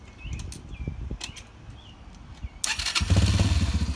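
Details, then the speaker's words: Yamaha TTR 125 dirt bike started in neutral right after battery replacement, cover still off; a few quiet clicks, then the single cylinder catches straight away and settles into a steady, even idle, normal start. "And if you're in neutral, you don't even have to have the clutch in, but go ahead and fire it up."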